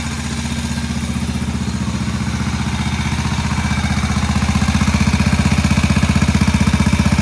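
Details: Barn-find Moto Guzzi single after head work, first run since the mid-80s, a bit smoky: even, steady thump of about three beats a second that holds its rhythm; a healthy, smooth idle that needs some adjustment.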